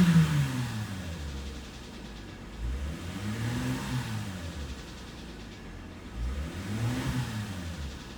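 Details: Mercedes W219 with M272 V6 revving in slow waves: dull knock under the low rumble rising with revs; suspected scratched cylinder wall, unconfirmed.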